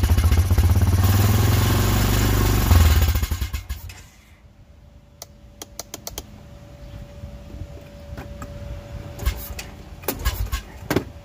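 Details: Honda Foreman four-wheeler that won't stay running, carb suspected clogged: engine catches, runs rough about three seconds, then sputters and dies, leaving scattered clicks; stalls after starting, cause unconfirmed.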